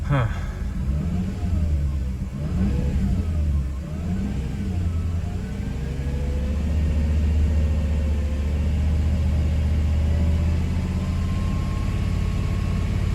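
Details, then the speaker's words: Mercedes W124 E420, M119 4.2 V8, restarted after key cycling, idles and revs with an uneven, lumpy beat and shaky rumble, running worse. ASR light then came on; owner says throttle body needs rebuilding due to moisture. Rough running. "hey what the heck that's not me doing that yeah she is not happy guys"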